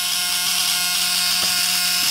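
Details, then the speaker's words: Repaired Model T buzz coil after adjustment, on only 6 V through quick leads and a homemade jig: a steady, unbroken high-pitched buzz with a great spark, so the coil now fires properly. "we're gonna hook this back up and you can see great spark that we're getting now off of this off this coil again this is only six volts"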